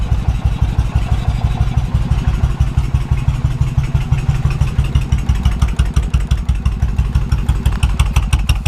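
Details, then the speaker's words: 2000 Suzuki Intruder 1400 V-twin, previous shop claimed low compression, first start, cold on choke: fast, even thumping with no skipped pulses and a small hiccup; carbs probably unsynced, probably needs plugs, no misfire. "It runs. A little hiccup there. Cards probably aren't synced. Probably needs plugs, but we don't have a misfire."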